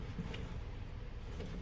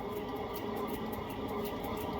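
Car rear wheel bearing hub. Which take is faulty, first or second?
second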